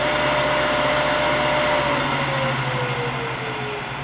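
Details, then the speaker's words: Powermatic 3520B lathe after replacing the inverter with a Westinghouse L510, running in forward at about 1206 rpm; smooth even motor hum, no bad hum or noise; normal running. "i don't hear any bad hum or other noise but in reverse it does fine as well"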